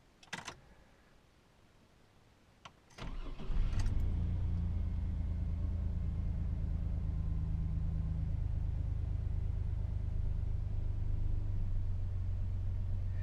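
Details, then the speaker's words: 2002 Chevy S-10 started after new shocks and new spark plugs fitted; brief crank, engine catches quickly into an even steady idle with no misfire or knocking: normal engine start. "Sounds good so far."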